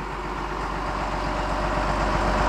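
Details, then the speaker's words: 2008 Caterpillar 930G wheel loader, turbo diesel, 6,787 hours, just fully serviced with new filters and fluids: heavy diesel settling into a steady even idle with a deep low rumble, no knocks or misses; normal idle. "we're gonna fire it up so you can hear it running and driving"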